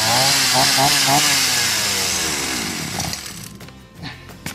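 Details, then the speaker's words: Berala BL-29X chainsaw that wouldn't start, restarted on choke with ignition on after excess fuel was squeezed out of the carburettor: it fires and buzzes high for a second or two, then sputters and dies, starting to catch. "นี่ครับมันเริ่มที่จะติดแล้วนะครับ"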